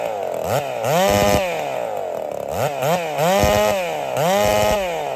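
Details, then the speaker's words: Holzfforma 372 chainsaw with a big bore kit, heavy porting and machine work, timing advanced. Revs climb in bursts but sag back with a popping burble and won't rev out. The owner suspects the timing is too far advanced and returns it to stock. "she had this little popping thing going on she doesn't want to rev out really well so I'm suspicious that the timing was actually too far Advanced"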